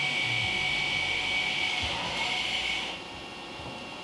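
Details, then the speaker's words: 2017 Acura TLX after rear pad and rotor replacement, electric parking brake leaving service mode: steady high electric whine for about three seconds then clean stop as pads return to normal position; normal retraction. "The brake pad return to normal break up position. 25 seconds at the maximum. D. You hear it going back."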